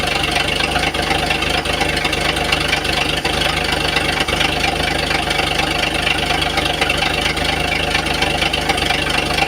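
Steady idle with a hard, fairly regular knock riding over it, about two a second; a knock from the bottom end, cause unknown.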